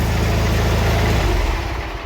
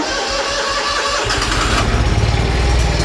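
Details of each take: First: Twin-cylinder mower after spring service and an oil change, with both cylinders now firing after the spark plug was disturbed. Loud, deep, even thrumming idle with no misses, running healthy while oil circulates; no leaks. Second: Twin-cylinder mower during spring service, at start-up. It catches into a lumpy, uneven beat and seems to run on one cylinder; the owner suspects the spark plug he disturbed, which is not confirmed. No leaks are seen.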